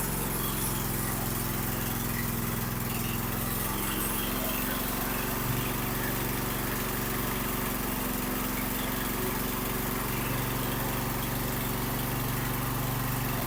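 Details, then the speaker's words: Husqvarna YTH2454 mower, 24 HP 44 cubic inch Briggs & Stratton twin, after repair of valve fault that left it running on one cylinder: even, steady drone at fixed throttle, no stumble; both cylinders firing, normal running. "well there you go it runs like new again so I hope you enjoyed the video appreciate you watching"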